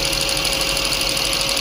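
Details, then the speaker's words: 2005 Honda Accord 3.5 V6 with P0455 and P0497 codes after purge valve replacement: fast, light ticking about ten clicks a second over steady idle; new EVAP purge valve clicking intermittently, starting only after being touched. "Yeah, it's clicking."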